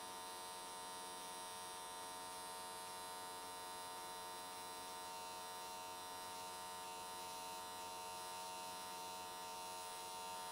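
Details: Square-wave AC TIG at 95 Hz on an S13 catch can, new smoothing settings: constant, even buzz that never wavers, crackles or pops. Stable, clean arc; weld completed in one session and looked good.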